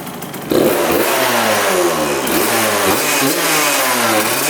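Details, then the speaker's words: 1999 Suzuki RM80 two-stroke dirt bike after spark plug replacement: catches at half a second, then steady even buzz with light blips, no misfire; normal running, owner thinks the plug was the cause but still watching for dying when hot. "yeah it sounds pretty good all right so far so good I think it might have been that spark plock the whole time"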